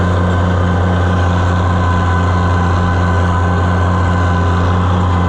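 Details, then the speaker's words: Old Oliver/White-era tractor running a hay mower while cutting hay: steady low drone with faint pulsing unevenness under load, sounding like it isn't getting enough fuel; owner suspects trash in the carburetor, not confirmed. "It doesn't sound right though. It sounds like it's going to I can't describe that if it doesn't come through on camera. But it just doesn't sound like it's getting enough."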